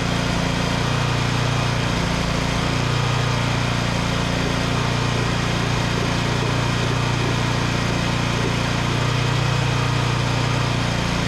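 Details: Vintage Onan Pro6000E generator, Elite 140 OHV 12.5 HP engine, refired after fuel-system cleaning and flashing the field at 12 V, unloaded; steady low governed drone, no surging or knocking; engine normal despite earlier zero output volts.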